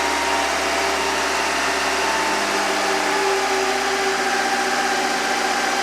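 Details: Engine in a car that sits most of the time, after pouring Rislone engine treatment in while running to clean a dirty, clogged hydraulic lifter: smooth, even idle, steady low drone, no ticking from the top end.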